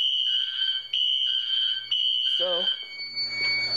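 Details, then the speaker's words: Home fire alarm test panel with Wheelock horns/strobes and an MT4 horn: high shrill horns sound in bursts whose gaps don't line up; horns and strobes not synchronised despite sync modules on both circuits. "even though i have both knacks on wheelock sink both of those strobes do not sink nor does the horn on that one and the horn on the mt4 sink so this system is not going to be synced"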